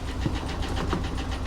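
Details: Engine at start-up: fast even ticking over an uneven stumbling idle, dead miss; oil pressure 40 PSI; owner suspects tapping lifter or lifter damage, not confirmed.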